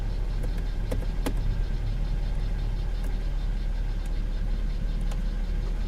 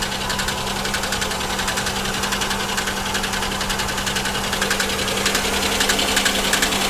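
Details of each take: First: V6 car, airbag light on: steady, even idle with a faint extra tick as the AC compressor clicks in, no stumble, runs good; normal idle with AC compressor engaged. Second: 3.4/3.1 V6 car bought at auction, felt misfire: quick, fairly even ticking about 3.5 per second at idle from the top end; lifters suspected, blown lower plenum gasket and water in oil suspected; ticking at idle.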